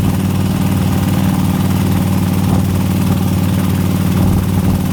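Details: 2004 Harley-Davidson FLHTCUISE with 103 V-twin: loping idle with a fast, fairly even top-end tick riding on each firing beat; cause not yet known.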